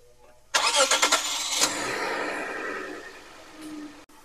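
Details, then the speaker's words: Toyota Crown petrol engine after repair: ticking from leaking hydraulic lifters, caused by a missing left-side oil screen letting sludge and carbon block lifter oil passages, is fixed; brief crank, catch, then even idle with no ticking. "们听一下这个声音和昨天有没有区别？现在基本上是听不到那个发动机声音了。"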